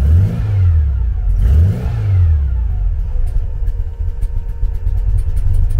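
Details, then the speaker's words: Cold 1974 VW Beetle flat-four with Weber IDF carburetors, held on the throttle because it won't idle: lumpy, uneven running with a missing beat, one cylinder dead from a blocked idle jet, still blocked after cleaning attempt. "won't idle at all while it's cold when it's down on one cylinder like that so my foot's on the accelerator a little bit there just keep it going"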